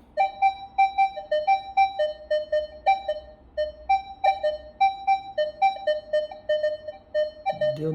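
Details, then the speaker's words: Minelab Equinox 600/800 metal detector over an open bottle cap: short beeps about twice a second alternating between two mid pitches, reading slightly negative (ferrous). The cap alloy contains some iron. "negativo mas tá bem bem pouco é essa aqui é a tendência de ferro é ele vai discriminar quanto mais ferro tem um objeto"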